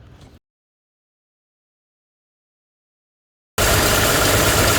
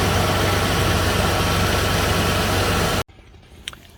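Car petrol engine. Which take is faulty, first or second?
first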